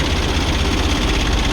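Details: Kia Bongo diesel truck that would not start, now running after repair. Steady, even diesel clatter with a solid low drone and no misses, a normal idle.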